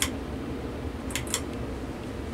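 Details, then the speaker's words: 52-inch SMC wood-housing ceiling fan on high drawing 0.58 amps: steady low whir with a few sharp ticks from slightly noisy bearings. "what kind of power draw we have 0.58 and I'm here in the bearings making that sound"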